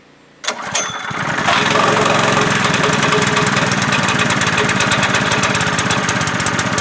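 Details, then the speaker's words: Honda GX200 swapped onto a plate compactor after sitting on a shelf for five years, refueled and primed: catches on first pull, then settles into a steady, even small-engine run with no misses or knocks; normal running. "now that is what i call reliability as usual i hope you guys enjoyed and thank you so much for watching"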